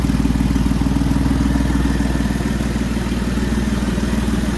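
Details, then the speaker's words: 2007-2011 Jeep Wrangler JK 3.8L after alternator and serpentine belt replacement: steady even idle, previous bearing whine gone, now charging over 14.5 volts; faint rhythmic puffing tick from a known exhaust manifold leak; normal idle. "you can see that the wine of the alternator is gone everything seems to be running well and i am now putting out [Music] over 14 and a half volts which is right where it should be"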